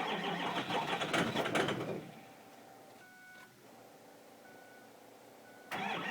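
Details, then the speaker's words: 2005 Ford Powerstroke 6.0 L diesel cold start, block heater plugged in about 5 hours: about two seconds of steady starter cranking with no catch, pause, more cranking; hard start, owner mentions injector check, cause unconfirmed. "Hopefully she goes. Got to go for injector check. And it's not starting right."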